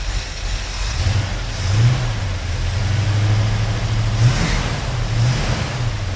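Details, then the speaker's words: 1972 Ford Mustang Mach 1 with a Ford 4300 carburetor, just after a cold start: a low uneven rumble that swells and sags; the owner suspects the ignition timing is a bit advanced, and the battery may be weak. "cela aurait pu être qu'il avait juste un problème à cause du timing, c'est un peu avancé"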